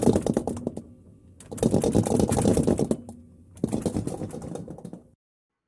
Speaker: noise is abnormal but it's not something to worry about this tapping noise is caused when the unit's running and someone moves it the compressor will make that